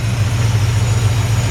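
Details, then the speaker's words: 1953 Ford F100 with Mustang-sourced 302 V8, mild cam, turndown exhausts and aluminium radiator, at idle: deep even burble, no exhaust leaks or ticks, good throttle response; normal healthy engine. "no exhaust leaks no ticks super super nice sounding great throttle response"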